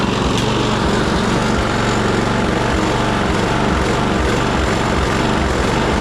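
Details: Troy-Bilt push mower, Briggs & Stratton Quantum auto-choke engine, after carburetor cleaning, before raising rpm: small single runs loud and uneven, beat wandering, still surging slightly, only a little better.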